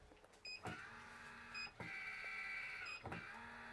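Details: 2020 AVIA by nuCamp RV roof vent fan lid closed by remote control: short clicks, then thin steady electric-motor whine for about a second as lid closes smoothly; normal operation.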